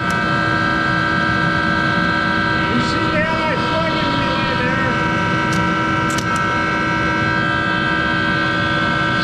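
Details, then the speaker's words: Monarch 10EE lathe three-phase motor-generator DC variable-speed spindle drive running, speed changed: loud steady drone with high whine and rough undertone; worn motor-generator bearings needing replacement. "it's louder in hell because it's got those bearings that need to be replaced in that motor generator so bear with the noise"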